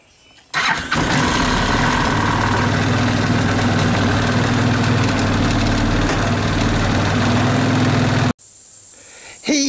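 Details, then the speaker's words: 2014 Linhai Big Horn 400 UTV 28 after repairs (CDI pulse lead, relocated doubled battery, heavier starter solenoid, fan wiring): cranks briefly, catches at once, steady even idle, then clean shutoff; finally starts easily. "finally she starts easily"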